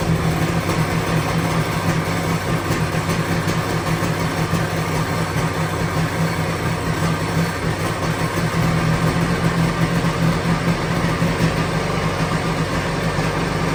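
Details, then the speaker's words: 1997 Sea-Doo XP 800 two-stroke, revived after sitting years with rebuilt carbs, idle being adjusted; steady, loud, slightly lumpy idle sitting a bit low, needs idle screw turned up a smidge; idle speed set too low. "Needs to go up a little bit more. Just a smidge."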